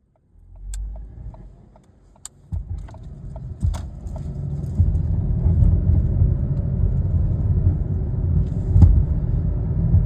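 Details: 2014 Ford Escape, weird noises: scattered sharp clicks and ticks over a low vehicle rumble that builds and grows heavier; cause unidentified.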